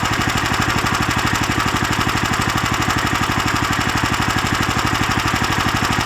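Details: Lifan LF390QE Pro single-cylinder engine, newly fitted as a direct replacement on a flail mower, idling outdoors on a cold day on a booster pack: even, steady thumping with no misses, knocks or rattles; healthy fresh engine at normal idle.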